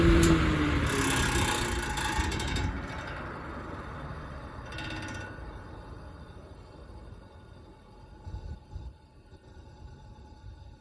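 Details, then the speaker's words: Vintage Lasko electric fan: loud rattle at switch-on fades within seconds as blades reach speed, runs fine, then rattles again at shutoff; worn sloppy motor bearings let the hub wobble, only fix is replacement. "so it's going to rattle like crazy for the first few seconds and then it'll kind of straighten out and it'll run good then when i shut it off it'll rattle again"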